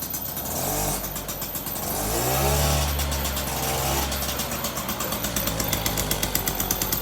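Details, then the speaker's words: Motobecane two-stroke moped running great after a new carburetor install and idle adjustment, throttle blipped. The buzz rises and falls cleanly with each blip, then settles into an even popping idle; runs well. "If you watch when the engine accelerates, it angles back."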